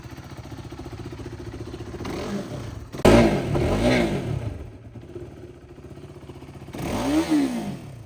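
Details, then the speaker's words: 2015 BS3 KTM RC 390, second owner, about 9,000 km, no oil leaks: single cylinder idling quietly, then two or three sharp throttle blips rising and falling cleanly with no rattle or knock. Healthy engine. "നല്ല pure സൗണ്ടാണ് കേട്ടോ. വേറെ engine നോയ്സോ കാര്യങ്ങളോ ഒന്നുമില്ല കേട്ടോ."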